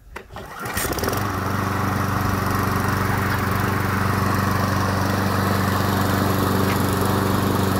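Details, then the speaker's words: Briggs & Stratton lawn mower engine found in the street, after new spark plug and carburettor spray clean (old air filter wet and worn out): starts first pull, catches within a second, smooth steady drone with no misses; running normally. "The motor is working very well, so the next project will be a go-kart."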